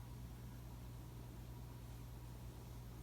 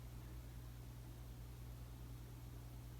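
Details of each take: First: 2004 Casablanca 19th Century 54-inch ceiling fan, XLP-2000 motor, Inteli-Touch control using resistors for speed and capacitor for start windings: quiet steady low electrical buzz as speeds change, louder than during light changes; motor buzz on speed change. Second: Casablanca 19th Century ceiling fan made May 2004, with all 4 blades at speed 6 (highest): steady low hum with soft rushing air, even and unbroken; normal, healthy operation.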